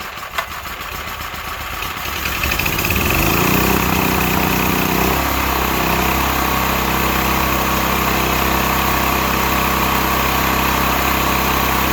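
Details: Stanley 8000 W all-weather generator, bought used after sitting four years, started warm in cold weather without choke; owner suspects a choke problem; catches after a couple of seconds, rises to speed, settles into smooth even drone with no misses; running healthy.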